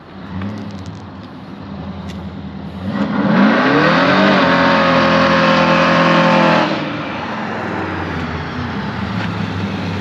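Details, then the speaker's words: Blown Chevy C10 on its first drive, pulling to 6 pounds of boost: hard pull with rising blower whine climbing with revs, then clean lift-off; sounds clean and much better after vacuum-leak and timing fixes, healthy under boost. "That was 6 pounds of boost. Nice. I caught that one down there. Yeah, that was good. That's much better. It sounds clean too."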